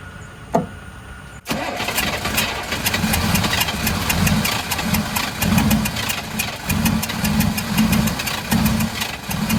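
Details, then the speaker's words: 1983 Chevrolet squarebody 6.2 diesel, first start in years after fuel shutoff valve reinstalled and fuel system bled, original injection pump; catches and settles into a steady even clatter, a little smoky, good oil pressure; normal diesel idle. "it sounds pretty good dang a little smoky s sorry neighor"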